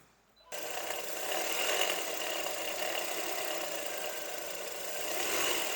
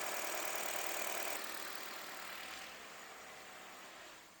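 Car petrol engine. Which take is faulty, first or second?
first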